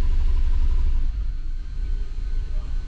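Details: 2006 Subaru B9 Tribeca runs poorly: lumpy, stumbling idle with one dead cylinder; P0301 misfire counts climbing on cylinder one, some on six.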